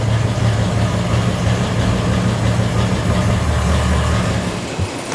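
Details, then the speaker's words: Ford Bronco prerunner just after fitting a new tunable Fiveology Racing computer, which changed how it runs: steady, even low idle rumble with no misses, knocks or hunting; normal idle. "Woo! Let it clear out. Sounds pretty good. Nailed it."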